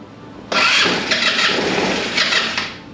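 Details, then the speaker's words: 2008 Taotao scooter engine during initial assessment, fed starting fluid while cranking: catches into a rough buzzy run for about two seconds, surges, then fades out; runs only on starting fluid, cause not confirmed. "We're going to up the game a little bit with some actual starting fluid. We’re going to see if that is better."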